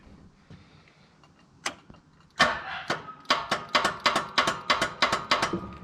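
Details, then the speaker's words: Wright Stander ZK 52-inch mower with Kawasaki FX850V engine: slow, laboured cranking at about three strokes a second that never speeds up or fires; starter suspected faulty and being replaced. "i've got some problems on my right mower the starter but i've got another one coming"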